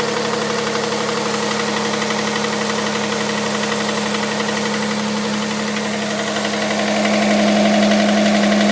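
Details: Hyundai Santa Fe CM, G6EA 2.7 V6, cold idle: steady fast tapping about four per second over engine note; knock from inside engine, cause unconfirmed.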